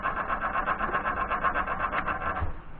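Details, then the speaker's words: Woodturning lathe running while a thin CA finish is applied to a pen: a steady squeal pulsing about eight times a second. Owner thinks the bearing needs grease. "excuse that noise is the bearing in this i think needs some grease"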